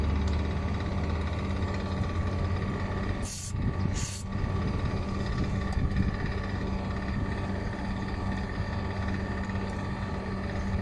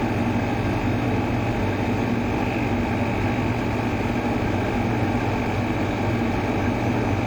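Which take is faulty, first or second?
first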